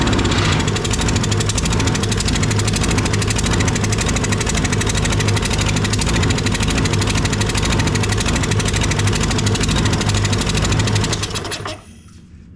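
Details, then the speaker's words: Toro 22-inch Recycler 20332 mower, Briggs & Stratton Quantum auto-choke, air filter found soaked with mud and removed: runs ragged and uneven, stumbling before shutting off; water in fuel or dirt in carburetor suspected. "I bet you he got water in his fuel or in the carburetor there's something funky going on here and we're going to find out what it is"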